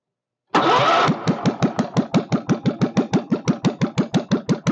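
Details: Kohler K301 stationary single-cylinder, first start with a bit of chainsaw gas mix added for lube and fuel pump leaking: catches, then slow separate thumps about three a second; idling too low, needs idle speed adjustment.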